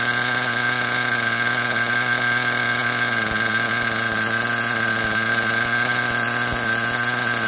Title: SH .21 Nitro engine running rich